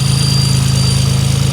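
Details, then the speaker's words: Nissan 300ZX warm idle: steady high-pitched whistle over a low even idle, changing when a finger covers the upper-to-lower intake manifold flange; intake leak, probably a blown gasket, to be replaced. "all I'm doing is putting my finger over the flange of where the upper intake meets the lower intake manifold so probably just have a gaskit that blew out"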